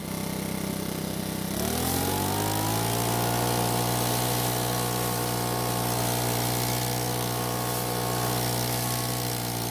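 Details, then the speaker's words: Makita four-stroke leaf blower after repair and oil change, test run: steady idle then smooth climb to an even, clean full-throttle drone, no misses or rattles; quiet at idle and full throttle, healthy. "like this blower it's really quiet at idle and it's not going to wake up the dead at Full Throttle either"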